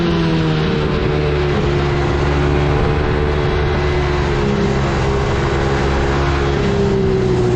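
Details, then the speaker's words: Coolster 110cc quad, sat two years, on test ride: single-cylinder revving hard and holding high speed without dropping back; throttle stuck open, traced to carburetor cap not screwed on properly. "W the throttle um um stuck open on me so not good you can hear it there's some stuff going on in there"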